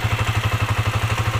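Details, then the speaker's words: Honda TMX155 whose breather hose smoked from oil burning when hot; now fitted with a new Bwin block and gaskets. An even single-cylinder putter at about eleven pulses a second, no knocks, very quiet. A normal idle. "Binuksan ang dami palang sira yun mga sirr Okay na itong TMX napakatahimik"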